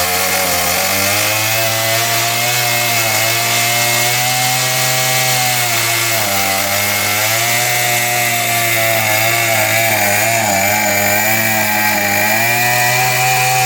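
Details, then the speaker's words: Murray two-stroke trimmer with a faulty carburetor that leaks fuel. It screams at a steady high pitch with slight wavering and never drops to idle. The owner says it runs at full throttle because the carburetor is faulty. "Pretty hard. It's going to be full throttle since this carburetor screwed up."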